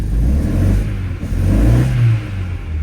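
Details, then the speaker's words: Opel Astra H that shakes and won't pull away, revved with a replacement ignition coil fitted: revs rise and fall unevenly, stumbling and popping, misfire remains; fixed by refitting the original coil. "простріли залишилися. Поставив назад рідну катушку."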